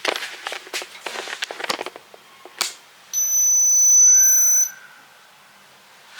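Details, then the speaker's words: Washing machine repeatedly beeping since morning, showing a check water error although the tank is full: after some handling clatter, one long high-pitched beep of about a second and a half; cause unknown. "ऐसी beep beep की आवाज आ रही है सुबह से।"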